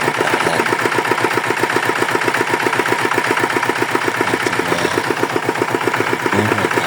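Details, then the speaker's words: Yanmar DX tractor with Chinese single-cylinder diesel, said to have seized from low oil, after repair: steady even beat about four firings a second, no knocks or misses; normal healthy idle. "Oke mesin sudah hidup normal bagus thank you terima kasih"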